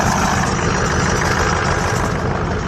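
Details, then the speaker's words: BMW E46 first start after repairs with new spark plugs, battery reconnected plus jumper cables from a truck: uneven lumpy idle with a faint hiss; runs rough, owner suspects a massive vacuum leak. "Good, she's running though. Not happy. Probably have a massive vacuum leak somewhere, but she is running."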